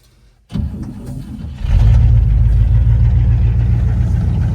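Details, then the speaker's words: 1959 Cadillac that sat for years, fluids checked, after earlier runs: brief crank then catches within a second and settles into a strong even run after coming down off fast idle; starts cleanly, healthy. "So, I'm going to just fire it up for you guys one last time. Now that it came down off a fast idle, it sounds so much better. But she just fires right up."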